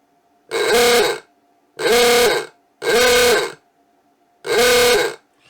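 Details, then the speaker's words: Vintage Lucas klaxon horn on a 6 V bench supply, after the motor was moved closer so it strikes. Four loud ahooga blasts about a second each, with a strong rasping tone and clean onset and release. The horn is working normally. "sounds like home doesn't it"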